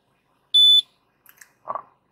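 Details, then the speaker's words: Citroën C3 Aircross, TU5JP4 engine, just after start-up: a single short high beep from the cluster as the check engine light stays on, later diagnosed with code P0420 via lambda sensor checks. "A luz da injeção está permanecendo acesa. Dá o alerta sonoro e ela fica ligada."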